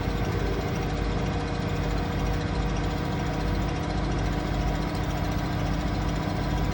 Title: Asko final spin ramp up with a weird noise